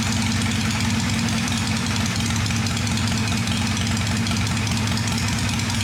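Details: "Little 81" V-twin motorcycle, freshly cleaned and tuned after starting up: even, steady idle with a lumpy low beat and no tapping or ticking on top; normal idle.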